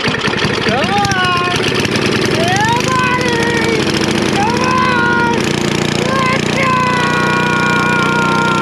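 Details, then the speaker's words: Snapper I 422 antique two-stroke snowblower, non-running from suspected bad gasoline and dirty carburetor, first start after carb work before idle tuning: engine surging up and dropping back, hunting and won't hold steady idle. "nope nope doesn't really want to idle come on"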